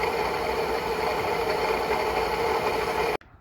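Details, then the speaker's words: 2012 Ford F-150 5.0 idling: steady gritty whir with a mid-pitched hum at the front of the engine until shutdown; the wobbling, slightly dripping water pump's bearing is failing and the pump will be replaced. Another shop had blamed the torque converter. "But anyway, you can see that the water pump is wobbling a little bit. We're going to replace that."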